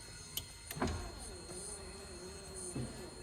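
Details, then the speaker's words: 1984 Mazda RX-7 GSL-SE power window after cleaning the switch contacts: a faint strained motor hum wavers for a couple of seconds and the window barely moves. Slow power window; regulators still to be cleaned. "It moves slow, but at least it moves now. So I'm guessing this is the right side. Yeah, it's like barely moving."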